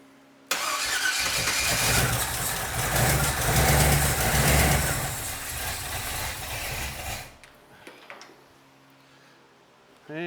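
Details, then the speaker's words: Budget rebuilt small-block Chevy 350 with Turbo 350 in squarebody C10, first start; carb squirting fuel, float bowl screws loose; catches abruptly, runs rough about seven seconds then dies, owner suspects it wants more timing: rough running on first start. "I mean, it ran. You heard it run, right? Uh, briefly. Sound like it might have would have liked a little more timing, but let's try it again."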